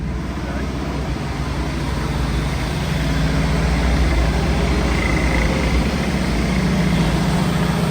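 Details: Land Rover, first drive in 25 years, after a new starter motor, a fuel system drain and fresh super unleaded, oil pressure gauge creeping up: deep, even rumble firming as it settles, no knocks or misses; healthy idle.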